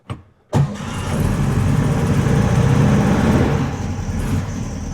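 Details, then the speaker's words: 1961 VW Beetle after timing, tune-up and adjustable pushrod tubes, morning cold start: a quick crank, then it catches at once and holds a fast even choke idle that comes off high choke quickly. A healthy cold start. "Came off the high choke really quick."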